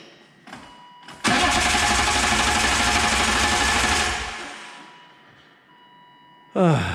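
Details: 1997 BMW M3 with EWS bypassed: strong, steady cranking for about three seconds with no firing at all; crank no start, no spark.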